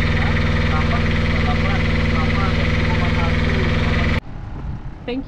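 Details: Brand-new Beta Marine 16 diesel, newly installed in a sailboat after the old engine failed, idles in the harbor with smooth, regular chugging and no misses or knocking, then shuts down cleanly; normal running.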